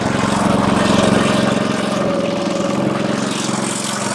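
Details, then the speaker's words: Honda 5.5 hp single-cylinder engine on spray rig, after cleaning the gas tank and new carburetor; runs at a steady, even fast beat with no stumbling or misfire, normal running. "So let's see if the Honda motor starts. It's a Honda, it'll start."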